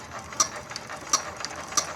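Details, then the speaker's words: Yanmar TF115 11.5 hp diesel, freshly rebuilt (new liner, piston, rings, bearings), hard-start repair, hand-cranked before first start. Three sharp high squeaks about 0.7 s apart: normal injector chatter, pump good. "ได้ยินนะครับแสดงว่าปั๊มดีนะครับ"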